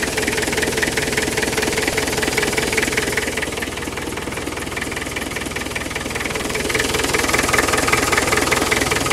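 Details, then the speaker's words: 2.5 turbo diesel idling with bonnet open for a breather check; starts nicely, steady even diesel clatter with no misses, but breather puffing badly. Rocker cover gasket leaks oil near cylinder 4. Normal diesel idle. "fire it up with the engine with the Bonnet open so we can um do a breather check on it and stuff like that does actually start quite nicely always did In fairness"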